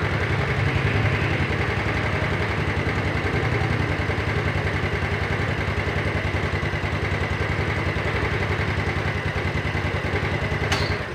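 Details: Yamaha Mio Sporty single-cylinder scooter after a rebuild with a 200 oversize piston and worn camshaft and rockers repaired without replacement. Steady idle with a faint light tap on each beat. The mechanic attributes the slight internal knock to a slightly worn connecting rod.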